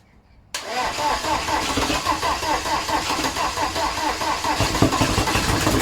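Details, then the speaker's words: VW AHU TDI diesel run on garage floor before fitting into T25/T3 camper, one injector line open: fires up into an uneven, lumpy idle with a lopsided beat and heavy vibration, running on three cylinders. "I didn't expect it to vibrate so much but of course it's running on three cylinders"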